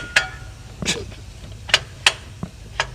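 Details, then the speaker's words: Engine with ticking noise, transmission removed: flexplate turned by hand gives sharp bright irregular metallic clinks, about six in three seconds, from a cracked flexplate. "Yes, that is not supposed to do that, guys."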